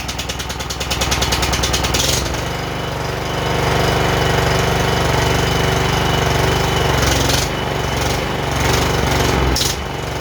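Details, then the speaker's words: John Deere JX85 commercial walk-behind mower, choke just taken off: single-cylinder putter whose speed rises and sags every few seconds, surging; suspected lean mixture or fuel-flow problem, possibly missing air cleaner, unconfirmed. "since it's kind of surging uh it sounds like a fuel flow problem um being too lean of a mixture you know it's getting gas and it's not getting gas it's getting enough gas and it's not getting enough gas"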